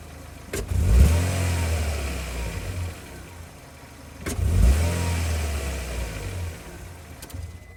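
A car engine blips its throttle twice over a rough, uneven idle, pointing to a misfire.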